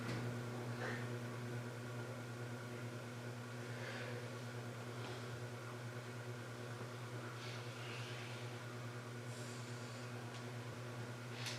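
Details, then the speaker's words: CEC Newport ceiling fan, rescued from an abandoned building after supposedly years on high reverse: constant low hum with faint slow rhythm, turning slowly on high; rough dragging bearings suspected, capacitor swap to half microfarad seemed slower, not confirmed. "it could also be the bearings are still rough that just be dragging a little yeah I don't know that's a possibility"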